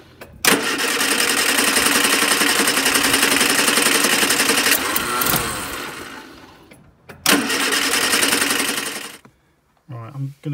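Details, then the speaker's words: Austin Allegro that died on a drive, with the coil swapped for a spare of unknown condition and a sticking carb float needle suspected: long harsh cranking bursts with the throttle floored that never catch into steady running. It won't start or keep running. "it over now and you'll see that in order to even try and get it ticking over i've got my foot hard to the floor sometimes it just will not run on i've changed the coil but obviously i don't know if this coil that i've got as a spare was any good itself um it still won't start now"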